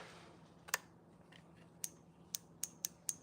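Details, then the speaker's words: Mustang fuel injector number seven triggered by a homemade 9-volt battery and switch tester: crisp sharp clicks at two to three per second as the solenoid opens, so it is functioning; spray quality is unknown. "That's that little selenoid triggering. So, I would say a number seven's functioning."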